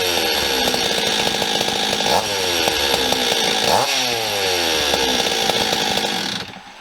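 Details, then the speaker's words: Stihl 026 chainsaw, production saw with low compression, revving with a loose metallic rattle while cranking and running; worn piston and rings causing piston slap, freshen-up planned. "I know you guys can hear that rattle um when I was cranking and wall running it"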